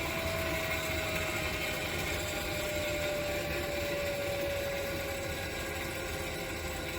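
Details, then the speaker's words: 3-phase 7.5HP (5.5kW) regenerative ring blower on a cheap 10HP VFD, used as a CNC vacuum pump, coasting to a stop: slowly falling tone under a rough, uneven rattle from bearings that sound worn; the noise goes away with a ramped decel. "all right we're at full speed there we go I like that better can hear the bearings in there they don't sound the best but I'm going to ignore"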